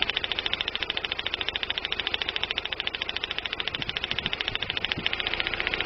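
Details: 1999 Daewoo Nubira 2.0L DOHC U20SED at idle: fast, even ticking with an occasional uneven beat, a misfire; owner suspects weak spark from the DIS direct-ignition coil but is not sure.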